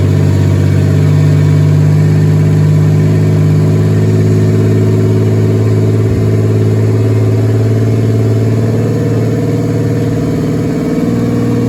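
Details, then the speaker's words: Turbo 3400 engine (Z24), plugs gapped 0.035, very first start after a year of work: steady fast idle, smooth low hum, no knocks; idling high, owner wonders about a vacuum leak. "Obviously, she's idling high. I don't know if I got a vacuum leak somewhere, but that's okay."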